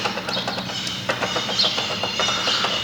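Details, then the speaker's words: Honda Titan 150cc motorcycle, engine off: light clicks as the clutch shaft is rocked by hand, revealing considerable play from a worn shaft bearing alongside clutch basket play; the engine must be opened to replace the bearing. "uma folga considerável e aqui não tem jeito é baixar o motorzinho abrir esse motor para poder trocar o rolamento né"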